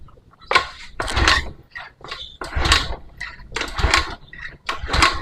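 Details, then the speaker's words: Honda Beat eSP scooter that won't start, with the MIL flashing code 12 (injector); about five starter attempts, each a short mechanical churn that never catches. "Ya kode 12 di motor Honda itu artinya injektor Nah makanya untuk motor ini tidak mau hidup jadi motor ini tidak mau hidup"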